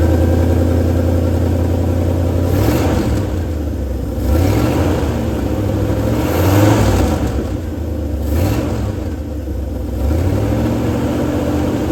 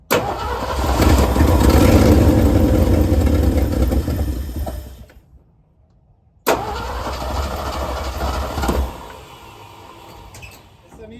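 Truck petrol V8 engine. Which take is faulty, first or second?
first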